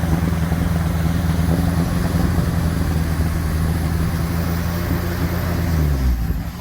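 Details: 1957 Ford Popular 103E: low, lumpy engine beat that never settles into an even rhythm, running rough before it drops away; engine misfiring.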